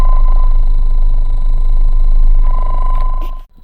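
Loud steady high whine sitting on a constant pitch through the speakers, cutting out abruptly; alternator whine from an insufficient ground.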